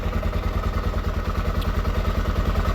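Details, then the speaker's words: 1979 Honda XR500 single, freshly fully rebuilt, idling after top-end noise was addressed: quick even thumping, valve sound gone, still not the quietest engine; normal idle. "Still isn't the quietest engine. The valve sound is gone, though."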